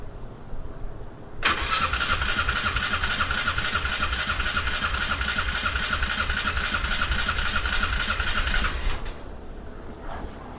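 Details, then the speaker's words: 1997 or 1998 Polaris Sportsman 500 with fuel on and choke set: the starter grinds steadily for about seven seconds at three to four turns a second and the engine never fires; cranks but won't start. "well it's sort of woke up doesn't really sound very good though does it no it does not it's very argumentative"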